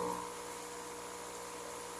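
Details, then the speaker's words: Electrolux microwave that blows its fuse when plugged in, running: loud steady hum with harsh buzz, transformer heating and smoke; the high-voltage capacitor is shorted. "Chega, tá fumaçando aqui, ó. Olha, chega fumaçou aqui, ó. Então, esse tá no curto, tá forte, hein, gente."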